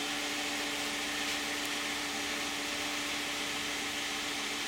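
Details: 2010 Toyota Camry 3.5 V6, 93,000 miles, Pennzoil Ultra 5W-30 synthetic with Wix filter, idling after cold start with hood closed: soft, steady hum and faint hiss, no ticking or knocking; owner finds it pretty quiet, normal idle.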